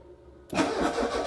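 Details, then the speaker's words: Car cranking but not starting: after quiet, starter turns engine with uneven churning beat; fuel pump under back seat not heard, later found stuck with only 9 volts reaching it, suggesting a weak battery. "um but I can't hear the fuel pump but because it's only coming on when you're crank it maybe we're not we're not hearing it"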